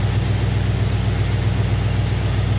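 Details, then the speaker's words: Thermoquad carburetor, idle mixture screws set at maximum vacuum on a vacuum gauge before being turned back in slightly: deep, steady idle with an even unbroken rhythm and no stumble or hunting. "Okay, so right now it's set with the vacuum at its max point, and now I'm going to tighten the screws back in just until I hear it change a little bit, and that's going to be my set point."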